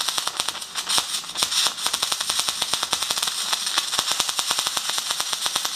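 Fast, sharp crackling ticks in a steady frying rhythm, typical short-circuit MIG arc running at about 150 amps and 15 volts.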